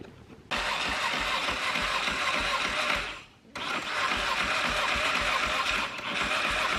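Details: 1981 Yamaha XS650 with Supertrapp side-exit exhaust, first start in freezing cold: it catches after cranking, then runs ragged and nearly dies before picking back up. Hard starting and rough running; the carbs need re-tuning.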